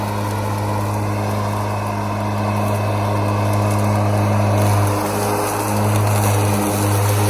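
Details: Ryobi ZR3 80V 42-inch brushless electric zero-turn mower, dual 14Ah batteries at 85%, cutting at 4.5 height in low speed with eco mode off: steady even blade-motor hum, no knocks, rattles or wavering; smooth healthy running.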